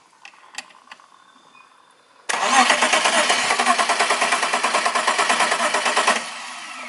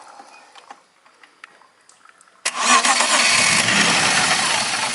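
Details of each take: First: BMW E36 petrol car: about four seconds of brisk, even cranking with no firing. Cranks but won't start; fuel pump suspected (weak pressure or failed pump), to be checked via injector 12 V standby voltage. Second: BMW E36 petrol car in a fuel pump diagnosis: quiet clicks, then the engine fires cleanly and settles into a steady, even idle. Normal start; the relay fault was only simulated.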